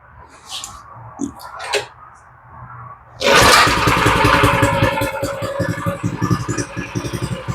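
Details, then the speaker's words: Coleman 200 (actually a Baja) minibike, refueled and started on choke. After a few seconds it catches and settles into a steady, even putter idling slightly low, which is intentional: running healthy. "That's what I wanted to hear. I don't know if she's got brakes or anything, but she's got a motor. And she sounds pretty good. She's idling a little bit low, but I think for this style, I want to get it to idle as low as I can, so I'm going to leave that alone."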